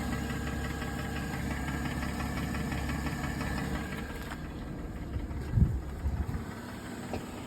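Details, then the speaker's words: Mercedes E350, 3.5 V6 M272, AWD. Quiet at about 900 rpm just after start; once idle drops to 600-700 rpm, dull regular knocking comes from the left side. Scored cylinder walls found by endoscope. Piston slap. "Здесь не слышно, с той стороны, с левой стороны это бряканье."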